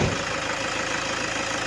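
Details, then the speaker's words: After repair, the customer's car idles steadily and evenly with a smooth, low pulse and no misses or knocks; the engine sounds lively and healthy. "At si Sir dito ay okay naman po. Masigla."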